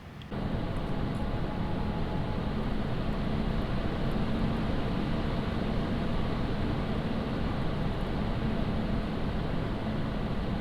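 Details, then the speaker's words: ID-Cooling Space SL360 AIO with fluid-dynamic-bearing fans under a Cinebench load, fans blowing away from the mic: they spool up to a loud, even rushing whoosh, steady with no ticking or rattle; normal full-speed fan noise. "I am going to run the uh cine bench and you can hear how noisy it is"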